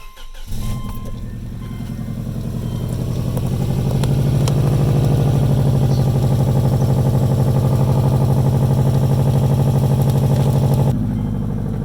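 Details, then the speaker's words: Subaru Legacy GT before the exhaust leak fix: the engine cranks, catches and fast-idles with a sharp raspy puffing at each firing pulse from an exhaust leak. "all right so first let's start the car and i'll show you what the exhaust leak sounds like"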